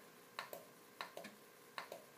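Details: Amiga A1200 Shugart floppy drive on the bench, head stepped manually toward track zero, one step per pulse: sharp clicks at irregular intervals over a quiet background; the head steps cleanly track by track and the drive is healthy.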